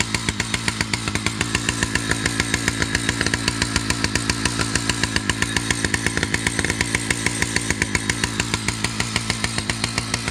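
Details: Husqvarna 2100 CD 100cc two-stroke chainsaw with a 32-inch bar and 3/8 .058 chain: fast, busy idle with a steady crackling beat that never settles; idle set too high, so the chain keeps moving, and the mixture runs a bit rich.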